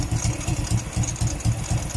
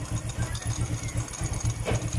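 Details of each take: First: Euro Sport R125 motorcycle: low, throaty putt-putt idle about four even pulses a second, louder than usual; exhaust gasket/O-ring suspected; noisy idle. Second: Euro Sport R125 motorcycle after exhaust gasket/O-ring replacement for noise and backfire: small single at a steady, even idle of about four beats a second, no backfire or exhaust chuffing; normal idle.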